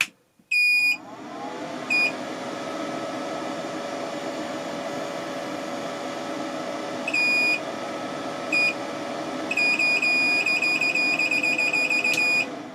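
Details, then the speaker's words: LaCie Biggest FW800 drive enclosure boots normally for a few seconds, then fan hum broken by irregular beeping bursts as it cuts power and restores it; owner suspects the power supply was damaged in shipping. "but then it went and did the silly thing where it just flashes and seems to cut power and then give it back for a split second that's what i think's happening it's probably the power supply in shipping maybe"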